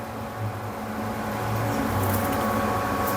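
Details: Epson S31+ projector running with a steady humming whir and faint whine, no clean rhythm; noise probably from the lamp, with a Lamp error in status. Cooling section very dirty from a missing air filter. Resolved by replacing the lamp and air filter.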